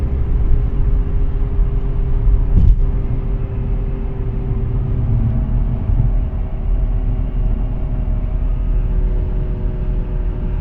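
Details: Audi A4 B8 Avant driving: steady deep droning rumble under road noise, no knocks or squeal, from a worn wheel bearing, later replaced with an FAG repair set.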